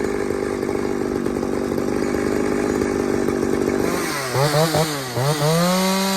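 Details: Pioneer 3270 chainsaw on test run with a safety-type chain, fitted with a carburetor likely from a 60cc saw; it screams high then surges and bogs, running lean and starved for fuel, so a different carb is planned.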